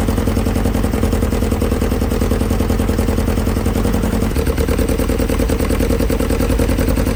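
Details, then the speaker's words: Nova 80s kit supercar, engine freed after 25–30 years seized; cooling system fitted but not cooling: clattery idle stepping up in speed as the engine overheats without coolant flow. "The cooling system was fitted, but it wasn't cooling the car. That's why that idle was going up like crazy."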